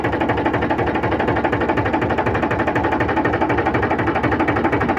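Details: Powertrac 42 Plus (44 hp) tractor after hydraulic repair, idling while hydraulic arm lifts and lowers: even steady diesel chug about four beats a second, no bogging; before repair the hydraulic rose by itself and engine labored. Normal running.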